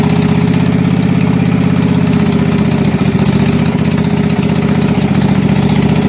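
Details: Husqvarna mud mower, 18hp Kawasaki V-twin, after being submerged in a pond about 5 minutes, with water in the oil, float bowl drained and fresh gas with Sea Foam: fired right up and runs a steady, even low drone with no misses, knocks or surging.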